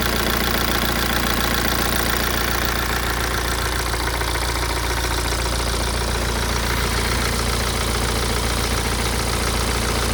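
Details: BMW E87 116d, N47D20C diesel, 220,000 km, idling: loose irregular rattle over a low hum; owner suspects dual mass flywheel, unconfirmed.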